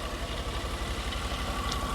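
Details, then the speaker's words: 1999 VW EuroVan VR6: uneven, lumpy idle with irregular thumps from a misfire; coil pack suspected, possibly the ignition control module or spark plugs, not confirmed. "she's not happy could be something as simple as the coil pack which sits right right there"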